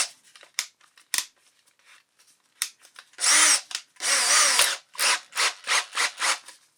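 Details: Makita DDF482 cordless drill after replacing intermittent trigger switch module (6507545, replaced by 6507537); brushes and motor had been fine: handling clicks then short high-pitched runs and quick trigger pulses, smooth whine, no grinding; working again.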